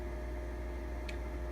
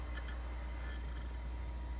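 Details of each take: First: Original Xbox 1.0 (first model) at power-on: a constant, droning whir with a steady low hum. The dry cooling fan runs really loud. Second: Original Xbox 1.6, the quiet comparison console placed beside a very loud 1.0 Xbox: steady low hum with a faint constant whir, no rattles or surges, noticeably quieter; normal running.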